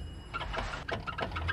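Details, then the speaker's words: Sharp metallic clicks, about five a second, as the lifted wheel's steering knuckle is rocked by hand: the control arm moves because its mounting bolt has loosened. "pansin niyo Ayan oh tumutunog siya ayan ayan kita niyo gumagalaw Yun oh Actually kayaang gumagalaw kasi lumuwag yung Bolt niya"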